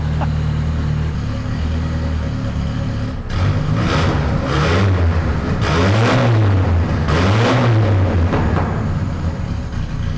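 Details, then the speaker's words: 500HP turbo Nissan D21 Hardbody after steering box replacement, first start on the ground: deep smooth idle with clean throttle blips, no knocks or misses; sounds healthy. "That sounds good. It smells good too."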